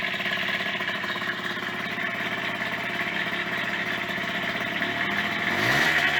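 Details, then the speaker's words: Yamaha DT50MX two-stroke, first run after sitting about a year: loud, busy running with an uneven rattle over the exhaust note, sounding like a bag of bolts; owner suspects worn or cheap main bearings, not confirmed. "hmm well that is loud isn't it there's something like the name and bearing wobbling around"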